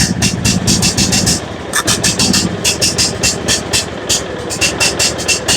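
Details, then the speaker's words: John Deere riding mower, Kohler Command engine, jump-started with choke on: lumpy, uneven firing with irregular puffs and stumbles, labouring; owner suspects choke on or too much fuel, spark plug checked next; running rich, not confirmed. "Sounds like the choke is on. No? Dumping too much fuel or something here."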